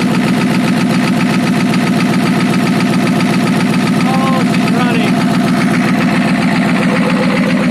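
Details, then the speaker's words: Ford F350 6.9L IDI diesel after injection pump replacement and bleeding: idle clatter with an uneven, lumpy beat stumbling every few strokes; rough idle, owner suspects a dead cylinder, not confirmed. "i hope this video helped you guys out it sounds like i got a dead cylinder"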